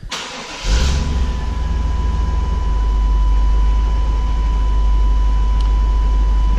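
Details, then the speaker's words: Chevy Tahoe started right after an oil change to check for leaks; brief crank, catches fast, settles into steady deep idle with no knocking or ticking, oil pressure good, no leaks; normal start and idle. "we've got oil pressure that's good don't see any leaks anywhere I think we're good to go for another year"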